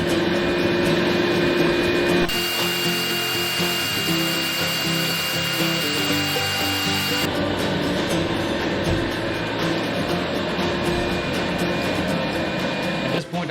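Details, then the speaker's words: Harbor Freight blasting cabinet upgraded with an Eastwood foot pedal and gun, after metering valve adjustment, blasting a rusty alternator bracket: steady hissing rush with a gritty edge, even strong flow; sandblaster running normally, much better than the original gun. "I can say without a doubt, that was a lot better than that Harbor Freight gun that comes with this."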